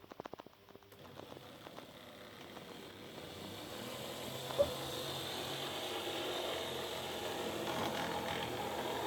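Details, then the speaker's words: OO gauge Mehano model locomotive with open-frame motor, running forward and reversed: harsh, rough, gritty uneven whirring; noisy motor running roughly, cause not confirmed. "you hear how noisy that is i'll just reverse it hear that that's horrible"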